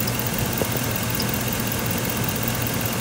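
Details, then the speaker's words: 2002 Chevrolet Suburban, 5.3 Vortec V8, 241,000 miles, camera resting on the coolant tank under the hood: smooth even low idle with a soft steady hum and minimal vibration, no ticking or knocking; healthy engine. "I'm resting the camera on the coolant tank, and that's all the vibration you get. I mean, this thing is smooth as can be."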